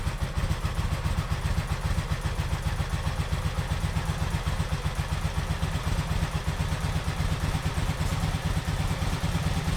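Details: 1986 Honda VF700 Magna V4, first run after fuel system flush and carburetor cleaning, took cranking to fill all four carbs; steady even idle with quick regular firing pulses, no misses or stumbles; normal idle.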